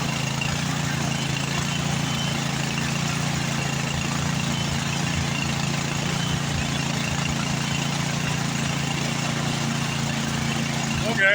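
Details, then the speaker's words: Like-new Craftsman snowblower running with the auger engaged under load: steady drone with a faint rise and fall in speed. A carburetor jet that could not be removed is thought partly blocked; slight surge persists. "okay it's got just the slightest hint of a surge in it CU we couldn't get that jet out"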